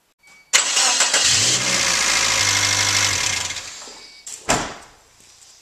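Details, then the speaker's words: 1995 Suzuki Sidekick 1.6L G16: brief run with water pump disconnected (fan and shroud removed) shows no whine or squeal, evenly running, confirming the noise came from the old water pump. "Okay, I just wanted to make sure, so I just started it, no noise at all, because the water pump's not hooked up, so that confirms my suspicion."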